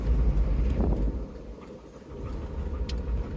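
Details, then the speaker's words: Car accelerating: low engine drone with a faint quick tapping that worsens just before each gear change, then quietens after the shift and is less noticeable downhill; cause not determined. "tapping it's like it gets worse right before it changes gear get really bad and then it changes gear and kind of goes a bit quieter"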